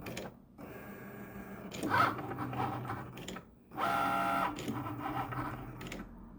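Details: Cricut Maker while cutting: motor hum with bursts of sharp, uneven clicks from the carriage, which is way off center; it won't cut or write properly, fails calibration, and stopped cutting at 63%.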